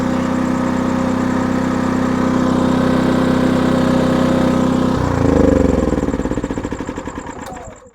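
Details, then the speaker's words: Maxpeedingrods MXR6000GT 6000 W inverter generator after a push-button start: quiet, even, steady drone with no knocks or misses, then the revs fall away and it winds down to a stop; it runs normally. "Let me start it up for you guys real quick. Nice push to start. It does have the manual start as well. You can start through that. Nice and quiet."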